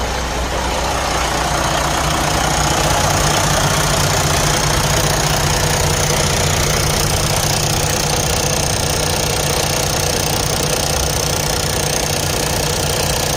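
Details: Detroit DD15 diesel idling with a steady, fairly regular ticking knock about two or three per second over the clatter, pointing to a failing high-pressure fuel pump that needs replacement.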